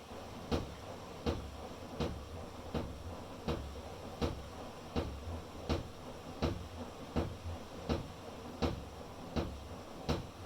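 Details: Electrolux PerfectCare 800 washer: heavy thumps about every three-quarters of a second with each drum turn, present for three years. The service technician called it normal; knocking became less frequent after the machine was balanced.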